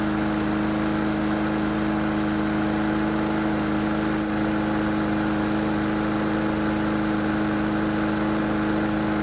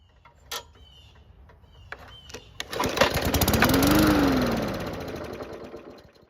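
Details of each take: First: Mower after carburetor repair, on a quarter tank of fuel: a steady single-cylinder drone with constant pitch and no surging or misses. The engine runs smoothly. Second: Free lawn mower that won't start; fires on fuel poured into the carb after a few pulls, revs about three seconds, then winds down and dies; ignition good, engine not worn; fuel starvation from a fuel system fault.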